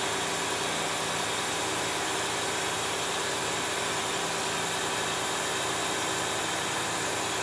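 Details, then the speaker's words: 1971 Mercedes-Benz 300SEL 3.5 idling: a loud, steady hiss over a faint, even idle from the horribly perished air suspension bags, showing the pump is working; fuel is also leaking, possibly at cylinder five. "I could hear the hiss uh from the air suspension system so the airbags on the air suspension system are horribly perish here in that his means the pump's working correctly"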